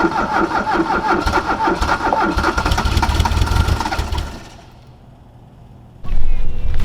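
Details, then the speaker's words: 1979 VW Rabbit diesel, cold start in weather cold enough to see breath after sitting a week, glow plugs cycled once and no choke: uneven cranking beats, about three per second, sputter for four seconds without catching; it struggles to start. "I can see my breath right now, so it's definitely pretty cold out. She did struggle, but not that bad for not starting for a week."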